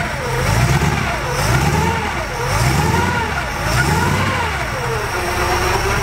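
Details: Newly built T-Bucket hot rod, 350 small block Chevy with three deuce carburetors all linked, Turbo 400, in neutral: deep burble with crisp blips about once a second, revs rising and falling cleanly, no misses or knocks; healthy.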